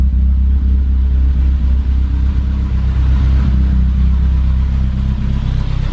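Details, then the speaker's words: 1988 BMW E30 M3, cold start after sitting 6 months, hood open: loud deep exhaust burble at steady slightly lumpy cold idle, oil pressure up quickly, no ticks or knocks; healthy. "Just pop the hood. All seems well. It's got a really loud exhaust, but it sounds good."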